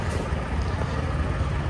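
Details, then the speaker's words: Truck's APU (auxiliary power unit) running: a low, uneven, lumpy diesel chug with a wavering beat, sounding choked up, cause unknown. "hear how rough this guy's apu is running still sounds like it's you know all choked up"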